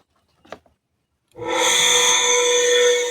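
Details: Kawamoto N3-206SH well pump, flange and accumulator missing, suction untested; after a small tap the motor spins up into a harsh, steady whirring whine with rough hiss: abnormal motor noise.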